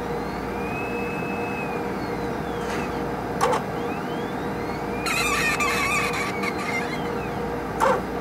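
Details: HPLC sample pump: a thin, high squeak sliding up and down in pitch over a steady hum, with a few clicks; the pump squeaks as it runs.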